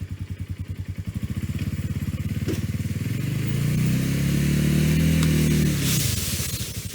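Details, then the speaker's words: Ross two-stroke chainsaw, formerly dead, cutting dead privet: its buzz climbs and holds a steady, strong note under load without bogging. It runs healthy with no fluid leaks. "Well, it ate all that up for breakfast. No trouble at all. And not leaking any fluids."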